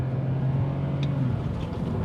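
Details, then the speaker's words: £500 BMW 5 Series 2.2 L six-cylinder under hard throttle: smooth even drone, no knocks or rattles, faint road rush, gear changes nice and smooth; healthy engine pulling cleanly. "change his gear nicely as well nice and smooth you know saying that that's quite fast"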